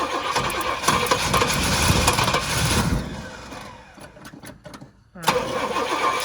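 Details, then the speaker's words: Pontiac GTO on a lift, newly fed through a temporary hose fuel system, 7 psi fuel pressure, throttle worked by hand, coughing from a gasket: uneven, surging run that nearly dies then catches; rough running. "i mean this thing's running like crap on that fuel but it's running it's it's jogging it's not really running"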